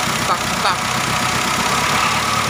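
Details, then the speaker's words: Whine from the front drive of a Mitsubishi Triton GLS 4D56 diesel at idle: steady high whine like a turbo but not. Turbo blades checked fine; tensioner or alternator suspected. Found: alternator pulley one-way clutch bearing worn. "suara mendengung di area mesin. Saya memfokuskan suara pada bagian mesin ini . Kemungkinan besar masalahnya ada pada tensioner atau alternator, dilihat dari suaranya."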